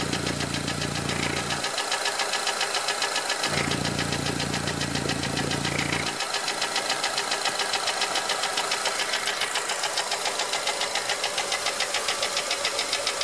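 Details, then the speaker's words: 2004 Honda Element EX AWD, 2.4L i-VTEC, 167,000 miles, no check engine light: steady fast light ticking at idle, three or four clicks a second, over smooth engine, also with serpentine belt off; valves adjusted; owner later found piston slap on cylinder 1. "This Is A 2004 Honda Element with a 2.4 l IV Tech engine and it SS like the valves clicking or something like that"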